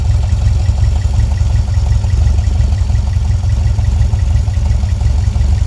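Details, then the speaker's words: VW Volksrod with dual Weber IDF carbs and an EMPI distributor, at idle before synchronization: steady low idle with a slightly loping beat, about three pulses a second. One carb pulls less vacuum and needs balancing. "so you basically just set the synchronizer down there and you read it then you want to make both sides even see this side's not sucking as much so we're going to open open this up just a hair which is going to change the other side too"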